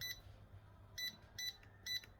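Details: Yamasu laser level, after cleaning and reworking the keypad that had constant error beeping and hard-to-press keys: crisp short high beeps, about one every half second with each press, clean and consistent; buttons now respond normally.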